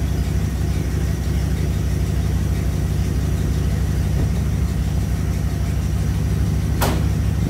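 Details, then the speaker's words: 1987 Dodge D100 318 V8 just fitted with a new aftermarket carburetor, after flooding, cold before warm-up and tuning: deep, steady burble at settled idle, smooth low rumble with no misses or knocks; normal idle. "back up and running sounds pretty good phil uh normally you want to tune these when they're nice and warm"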